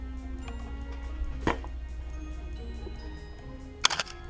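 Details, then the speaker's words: Canon A1 SLR with the microphone very close: two crisp, dry shutter clicks over a low hum, with no squeak or drag. This is a healthy shutter, in contrast to the Canon squeak. "i'm going to show you what a healthy a1 shutter sounds like and what a dying canon squeak a1 shutter sounds like so i put my microphone really close to the cameras here is what a healthy shutter sounds like"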